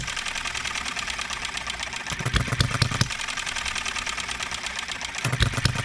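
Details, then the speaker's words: Enjomor 6cc hit-and-miss model engine on cart, first run since last adjustments: quick steady popping with occasional skipped or stumbling beat; still hiccups now and then while governor speed, ignition and valve timing are being tuned. "still hiccups once in a while don't it"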